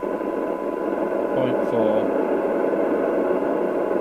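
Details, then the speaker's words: Maxcom 30E UK FM CB radio on the bench, squelch off, signal stepped down toward 0.35 microvolt: steady hiss with a faint buried tone; sensitive but noisier than some sets, possibly from cheaper components. "it's got a bit more noise than some sets that can be down to cheaper components and this is one of these sets that hisses when you turn the squelch on"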